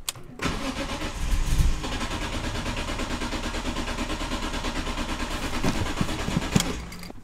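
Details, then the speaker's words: BMW E46 M3 petrol engine cranking in a long steady pulsing burst for about six seconds before starting on second try, cold; service engine soon light on, no stored codes, after idle problem fix. "guys all right it started on the second try"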